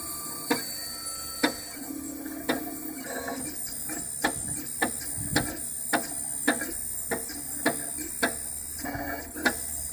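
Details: New Craftbot 3D printer, first run without calibration: extruder ticks sharply about once a second over soft stepper whirring while extruding; extruder gear moves like a broken clock.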